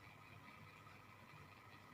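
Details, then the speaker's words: LG top-load washing machine drain motor bench-tested with power applied: quiet, steady low hum with no rattles, the good motor turning normally; faulty drains cause no water discharge during spin and an error. "แล้วก็จะได้ยินเสียงมอเตอร์นะครับมอเตอร์ก็หมุนไปเรื่อยๆตัวนี้ก็จะอยู่ตำแหน่งนี้นะครับอันนี้คือปกตินะครับนี่คือปกติ"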